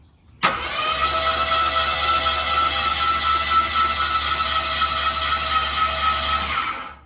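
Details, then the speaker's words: 1974 AMC Hornet wagon after cam swap to a milder cam (old setup noisy from a collapsed lifter), cranked without spark plugs or spark: even steady cranking whir, quick regular beat, no knocks, oil pressure building; normal cranking. "sounds fine to me it's building no compression cuz there's no spark oil pressure"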